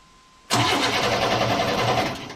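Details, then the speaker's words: 1988 Chevrolet S10 Sport ZQ8, sitting since 1994, new battery, starter cranking in neutral: steady normal-pace cranking with no firing; air and spark present but no fuel pump heard coming on; crank no start, no fuel pump. "still don't hear the fuel pump coming on though course this buzzer isn't helping any does it ever go off okay let me get some gas we got air we got spark we got no fuel pump"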